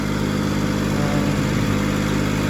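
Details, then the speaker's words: Skyjack scissor lift, three-cylinder Kubota petrol engine, after work on the spark plugs of the misfiring cylinder that was arcing: restarted, it idles with a steady, even low thrum and no stumbling, sounding much better. "it should start up so here we go um it has fuel it takes a second okay here we go this sounds way better"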